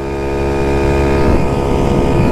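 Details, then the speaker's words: Trike at cruise on its first ride after build, open-case CVT at rear: steady engine drone with even supercharger-like belt whine on top, slight vibration; normal CVT belt whine. "You can hear the belt kind of like, sounds like a supercharger or something. The CVT, because it's got like an open case back there."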